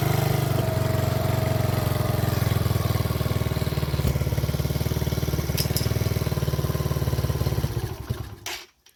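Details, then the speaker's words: Mini ATV with Mikuni carb, hard starting and bogging fixed by readjusting the tapered throttle needle and backing out the idle screw: small single-cylinder thumps at an even, steady idle with no misses, full throttle range; idles cleanly. "starts on idle I probably still need to adjust it a little bit and it has a full range on the throttle"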